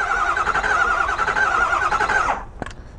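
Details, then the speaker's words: 2009 Ford F250 6.4 L diesel cranking with a cylinder misfire: starter beats about three to four a second with an uneven rhythm; relative compression scope trace shows seven humps and then a drop where the eighth should be, a mechanical low-compression problem. "as we can count right here is one 2 3 4 5 6 7 and look at that drop right there that's our mechanical issue that we have and like I said when I crank this engine over there was it didn't sound consistent so that lets us know right here that we do have a mechanical issue"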